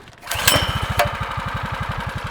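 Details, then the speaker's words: Monster Moto mini bike with stage 1 kit (header, pod, intake, carb jet) after fitting a stock Honda Grom muffler, first pull-start on choke, cold: soft even single-cylinder idle, valves louder than exhaust; normal. "Does that sound like a dirt bike or what? It kind of does. That's real quiet. You can hear the valves louder than the exhaust."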